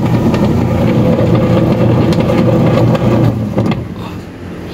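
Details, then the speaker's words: 6 kg Standard washing machine running empty with a loud rough rumbling grind and fast uneven rattle; still noisy with belt removed, motor fine, leaking worn rusted gearbox needs replacing. "Tumutulo sira niya ay gearbox palitin to ng gearbox"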